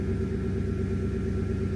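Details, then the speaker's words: Porsche Cayenne 955 at idle: steady low hum with an even buzz, no cycling or pause, as the air suspension compressor runs on. "But if it keeps running, then I probably have something broken in my, like maybe broken air suspension. So let's find out. I think that's how it was. I have to reread that. Definitely hear the air compressor."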